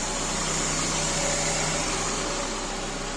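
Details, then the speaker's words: Citroen Saxo VTR, first start right after a timing belt change: even, quiet idle with a faint steady hum and light fan noise, no ticks or slap; runs smoothly. "Purring like a kitten."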